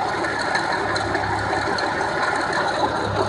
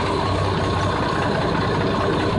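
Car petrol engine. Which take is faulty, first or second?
first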